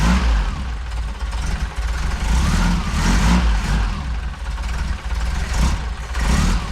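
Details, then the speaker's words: Saab Sonett III engine just reinstalled after oil pan gasket job, distributor rotor corrected from 180 degrees off, all plugs connected, new paint smoking: steady, even low rumble with slight idle speed wander, no misses or knocks; normal idle. "smoking hell yeah after so long it runs finally and the timing set right"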